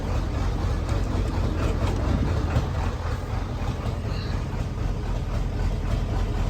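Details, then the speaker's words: 1994.5–97 Ford 7.3 Powerstroke diesel, 300k+ miles, just after injection pressure regulator replacement with air in the system: deep lumpy idle around four pulses a second; owner suspects a dead cylinder or clogged injector, improving as it runs. "still having that weird Idol don't quite know what that is to be honest I wonder if it was a dead cylinder cuz now it seems to be sounding better"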